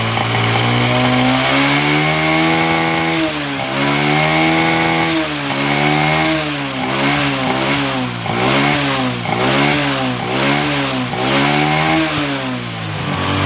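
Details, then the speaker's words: Honda Supra 125 that stumbled and hesitated on throttle from fuel starvation, after carburetor float needle adjustment and air-screw setting: single-cylinder blips cleanly from idle, pitch rising and falling smoothly with no stumble; normal idle and revving, fixed. "Di sini penyakitnya sepeda motor ini sudah sembuh karena tadi melepek-melepek ya akibat kekurangan bahan bakar."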